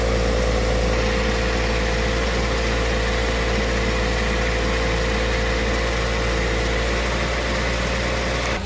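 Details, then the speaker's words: Ford Fiesta ST150 with a newly fitted replacement engine, warmed to temperature with the radiator fan kicked in and air bled from the cooling system: even, settled idle, constant low hum, no misfires, ticks or knocks. Normal idle. "But it's running nice and like I said, it's it's kicked the fan in now. So, it's part of the temperature. So, that's all good."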